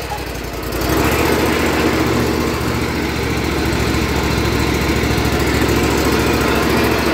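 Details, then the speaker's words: Dixie Chopper zero-turn mower with cleaned carburetor; steady small-engine drone with dry gritty rasp; owner suspects PTO clutch bearing failing, unconfirmed. "I think the bearing on the PTO clutch is going out let's see if it'll start and I'm probably going to need a starter you hear that that dry bearing but like I said it"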